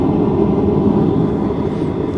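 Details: Goodman furnace GMEC960603BNAC lit with newly replaced burners: steady, even roar with no sputter or dropout, flames burning cleanly and consistently; normal burner operation.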